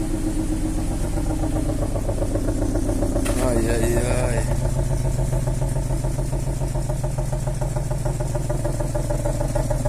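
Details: Infiniti FX35 first start after cylinder head repair with camshaft bearing journals restored, car sat since 11 August 2023: even steady idle, smooth beat about 3.5 pulses per second, no knocking or ticking; runs cleanly.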